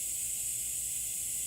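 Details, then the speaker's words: 2016 Toyota Highlander tire raised on a jack while being plugged with a plug kit: steady sharp hiss with no rhythm and nothing behind it, air escaping through the open tread puncture; tire puncture air leak. "So see, here's the pain, is that you're basically not going to lose a lot of air."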